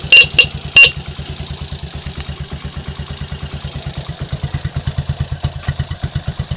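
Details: Triumph Trials Cub single after fixing previous day's misfire and stalling: steady single-cylinder thump at about ninety-odd beats a minute, even and unbroken with no missing beats; healthy normal idle after repair.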